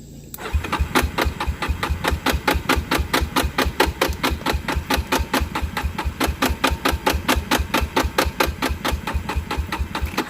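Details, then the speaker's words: Long-stored Yamaha Warrior ATV on old oil with new carburetor, battery and filters, before new plug fitted; steady cranking chuffs about twice a second failing to catch; hard starting, cause not confirmed. "it did eventually start um it's running like obviously i had to have it on full choke forever"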